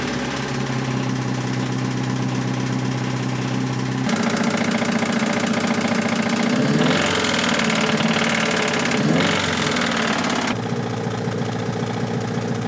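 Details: 1986 Toyota MR2 AW11 salvage-yard parts car, after vacuum leaks were fixed: hard, regular knock three to four per second at idle, busier as it revs; bad rod knock, engine declared toast.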